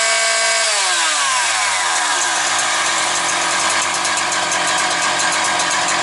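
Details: Husqvarna 365 two-stroke chainsaw with Walbro carburetor at full throttle: revs climb smoothly then hold a steady high scream, neither rising, falling nor hunting; healthy, well-tuned saw.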